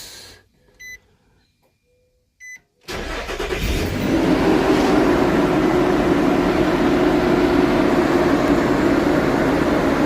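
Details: Nissan after fan clutch and belt replacement, old fan ran constantly; chime beeps, then engine catches and settles into smooth even run with steady fan rush; sounds healthy.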